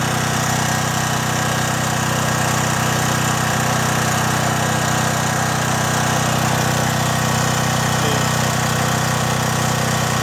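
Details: John Deere generator with Briggs and Stratton engine, after carburetor cleaning following years of sitting: steady, even drone at constant speed, no misses, surging or knocks, running healthy during voltage checks on the 220 V twist-lock output.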